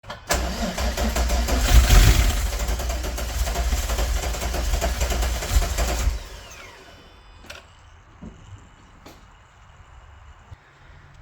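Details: VR6 after replacing nylon fuel lines with aluminum, small fuel leak: six seconds of heavy chugging crank, about three beats a second, never fires; owner suspects MAF or crank position sensor; crank no start.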